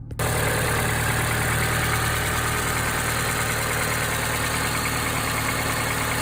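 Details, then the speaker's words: Engine idling at almost 6,000 miles on Valvoline Restore & Protect oil, oil change due: even, smooth idle with a light fast tick barely audible, less ticking than with the previous Supertech oil; sounds normal. "It's not bad. It is actually better than Supertech. With the Supertech, it would have been knocking at the typewriter. This does less of that ticking noise. It's hardly hear it. But, it's running smooth."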